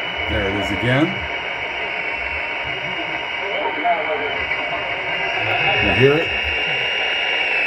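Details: HF receiver on 20 meters near 14.300 MHz: steady high whine over hiss with faint drifting tones, signals spaced every 29/58 kHz; entering via antenna, household sources ruled out; origin unknown.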